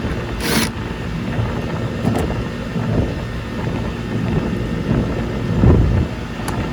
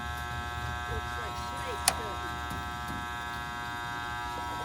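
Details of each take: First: Goodman gas pack (package unit, likely 2.5-ton, from 1999) on a roughly 1,500 sq ft house after no-cooling call and replacing failed run capacitor: steady low compressor hum with even fan rush, no clicking or chattering; unit running normally, coil likely needs cleaning. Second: Goodman gas pack (package unit) on a no-cooling call: constant electrical buzz with the motor humming but not spinning up. Possibly started today; a failed run capacitor is suspected.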